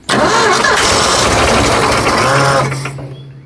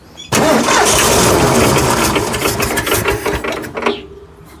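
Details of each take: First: Forgotten Ford F100, formerly seized engine, fuel poured down the carburetor: engine catches and roars about two seconds then sags and stalls; no fuel delivery, fuel pump not pumping. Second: Ford F100 whose seized engine was freed, now fed fuel from the tank with carburetor filling: catches and revs, sags briefly, refires and holds; runs not very well yet; normal running.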